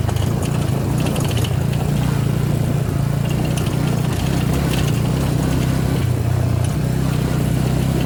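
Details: Suzuki V-Strom 250 SX single-cylinder idling low and steady with a faint tinny rattle riding on the beat; something loose rattles at idle, cause not identified.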